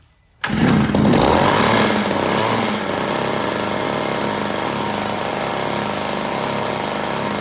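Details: $5 yard sale two-stroke curb edger, mock-up gas tank feeding the carburetor, on half choke: catches sharply, flares, then settles into steady even buzzing with no stumbling; running well.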